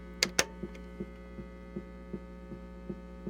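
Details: Vintage NDK Automatic Rhythmer (same as Whippany Rhythm Master RM-10) drum machine. Steady mains hum with soft thumps pulsing about every 0.38 seconds as rhythm bleeds through an ungrounded suppression capacitor: mains hum with rhythm pulses from poor grounding.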